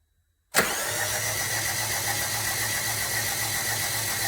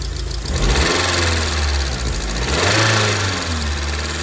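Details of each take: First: 2002 Rover 75 / MG ZT engine cranked by the starter with spark plugs removed and fuel pump fuse pulled: even, quick spin with no compression pulses, knocks or scrapes; cranking sounds normal. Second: Rover 75/MG ZT 2002 with suspected engine damage after stalling at idle; engine missing slightly, a little smoky, owner wonders about head gasket or loose head bolt; steady low idle with light fast ticking and a brief blip: noisy valve tappets.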